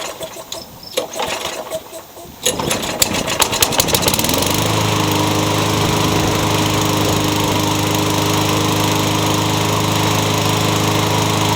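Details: Toro engine swapped onto a Craftsman mower. It pulls over and settles into a steady run with a faint, fairly regular light knock on the engine note. The owner suspects it is just starting to knock.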